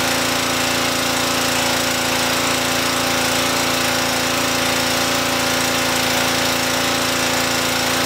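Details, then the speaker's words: Normal running under load of a Honda engine on a Brute pressure washer, choke set to run after pull-start: loud, steady buzzing roar, even with no stumbling while cleaning concrete. "it held ran just fine so I think I've successfully tested the pressure washer and I think this little Honda engine did just fine"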